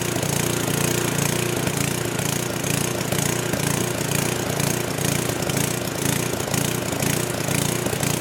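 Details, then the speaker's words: Old 10hp gasoline generator converted to propane/LPG using only the regulator of a cheap eBay aftermarket carb kit, choke open; uneven gallop about twice a second with irregular pops, speed hunting; owner suspects it isn't drawing enough fuel, unconfirmed. "so it's not running perfect it's got a little gal up to it a little backfire and they're trying to indicates like it's me so maybe it's not drying enough fuel"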